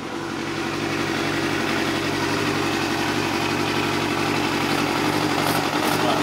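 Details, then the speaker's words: Vintage Yamaha 250cc bike that sat 10 years outdoors, first start after minimal wiring work and plugging in the coil: catches and settles into a steady, even idle with a smooth buzzy exhaust, running cleanly. "all right just try it again yeah all right holy crap man it just nuts right up"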